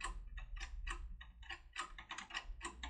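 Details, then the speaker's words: Securemme/SAB 3+3 lever lock with a turbo decoder tool inserted: sharp, uneven bursts of crisp clicks, about a dozen in three seconds; the decoder is hitting the lock's anti-pick traps. "you can hear I've mentioned and this clicking means that it hits a household in general such program locks these are three plus three and four plus four"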